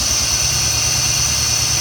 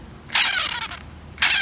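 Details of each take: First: 2006 Jeep Grand Cherokee Laredo after serpentine belt tensioner replacement: engine idles with a smooth, even low beat and the loud bearing whine is gone; belt drive sounds healthy. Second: 2006 Jeep Grand Cherokee Laredo, old serpentine belt tensioner removed and spun by hand twice: loud gritty whir dropping in pitch as the pulley coasts down, worn bearing; replaced with a new assembly.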